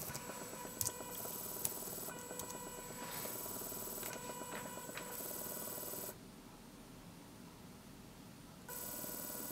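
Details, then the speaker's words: Small DC motor driven by Arduino through an L298N module, brought to full speed: steady whir with faint high electronic whine, running normally. "90 you can see it going fast One Direction slow the other then we'll bring the slower one right up to full speed"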